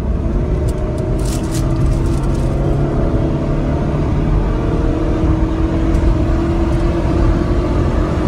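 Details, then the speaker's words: Toyota ACV30 under hard, high-rev acceleration on a road test after new Denso spark plugs: the engine note climbs steadily and evenly with no stumble or miss; the earlier high-rev stumble is gone, traced to the spark plugs. "หายแล้วนะครับสรุปว่าการกระตุกเป็นที่ตัวหัวเทียนนะครับ"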